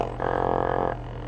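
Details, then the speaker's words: Old 10-inch Hollywood Sound Labs subwoofer being refoamed, driven with a test signal while the new foam is not yet glued: a steady low hum with no scraping or buzzing. The cone vibrates around while being centered before gluing. "you can hear that. and it's vibrating around because it's not glued down."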